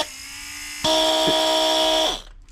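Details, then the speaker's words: BMW E92 M3 brake vacuum pump bench-tested on 12 V in the garage, with the thumb over the vacuum feed line to simulate a closed circuit; a steady electric hum changes pitch, holds evenly, then cuts out; pump normal, not the cause of the noise. "going to put my thumb over the vacuum feed line and the reason for that is that will simulate it being in a closed vacuum circuit on the car and you'll hear hopefully that it makes barely any noise at all"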